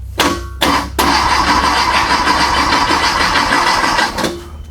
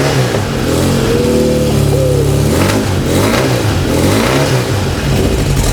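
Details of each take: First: A freshly built VW/Porsche Type 4 flat-four on a test stand at first fire: two short starter bursts, then about three seconds of steady cranking that never catches, with no oil pressure yet. Cause: no power to the ignition. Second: Freshly built Volkswagen/Porsche type four flat-four first fire on a test stand, distributor drive gear set loosely pending fuel injection, aluminum cylinder fins for turbocharging; barks and revs up and down cleanly, catching and settling without stumbling: normal running.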